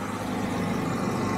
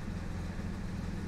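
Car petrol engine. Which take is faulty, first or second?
second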